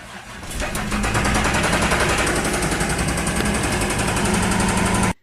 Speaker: and in that sound clip you heard the car start up an idle and you hear this almost hammering sound and that was a rod knock